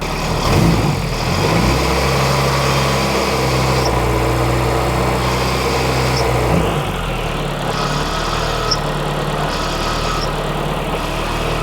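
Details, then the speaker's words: Car that had sat unused, idling: fast uneven knocking rattle that sounded like rod knock from the front of the engine. It went away with the clutch pedal in, so it is the clutch/transmission, not a rod. "Did it go away when I put the clutch in? It's the clutch. Yeah, it's the clutch. Or that's the tranny."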